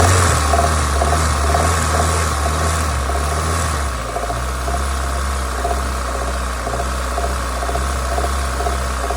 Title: ZX engine knock when up to temp.